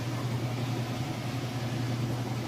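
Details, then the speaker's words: Whirlpool washer on high spin: smooth even hum at one steady pitch, no thumping, banging or rubbing: balanced, normal high spin. "about up to speed there as you can see sounds good looks good there's no weird noises and it's not balanced or anything"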